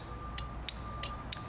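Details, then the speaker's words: Mitsubishi Evo 8 relay bench-tested with power and ground across terminals 85 and 86 during wiring and fuel pump repair: five crisp clicks a third of a second apart over a faint hum; normal relay click. "so what we need to do is put power to one side and then negative to the other and it should click and it works right do you hear that click"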